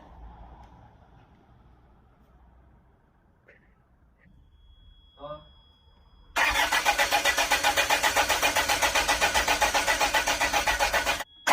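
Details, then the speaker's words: Land Rover after torque converter/crank seal replacement, seal no longer leaking: steady whirring crank at roughly four pulses a second that never catches; engine turns over but won't start, cause unknown (pump noted dry). "all right guys so at least the crank seal isn't leaking anymore it seems to be so uh I have no idea why it wouldn't start"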